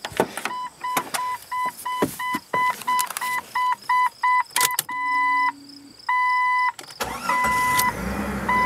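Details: Jeep 4.0-litre inline six with 143,000 miles: door chimes, a short starter whirr, then it catches and settles into an even idle. Clean start; a ticking is present, which the owner suspects is the cam position sensor.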